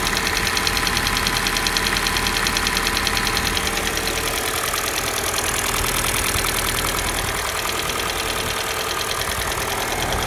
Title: Стук на холодную soul g4na